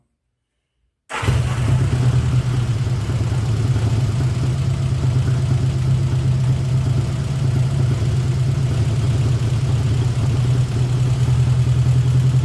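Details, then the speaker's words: 1979 Honda GL1000 Goldwing after carb rebuild: low deep idle, slightly uneven and lumpy, never fully settles; smoky, idle turned down, improving as it runs. "after running it a little bit I think it's getting a little bit better I got the idle turned down"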